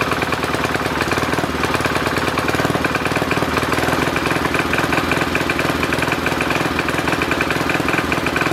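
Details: Simplicity Landlord 2010 tractor single-cylinder engine running after the oil seal was replaced and the engine was bolted down: regular hard tap under the firing beat; owner suspects a rod knock, and the carburetor still needs tuning.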